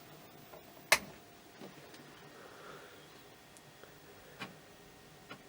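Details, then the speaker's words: Commodore Amiga A500 after swapping to a working power supply, disk inserted but not spinning: faint, sparse clicks every second or so. The drive's ordinary idle ticking. "now i can hear the disk drive doing that sound that it does when it's just sat there doing nothing but uh it's not even attempting to spin the disc"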